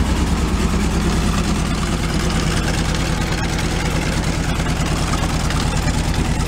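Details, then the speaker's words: 1978 VW Super Beetle, long stored with an oil cooler leak, running cold, with one cylinder previously at 90 psi compression: low, lumpy idle stumbling about three times a second, not firing on all four cylinders. "now that it came back it runs kind of low-key and not on all four"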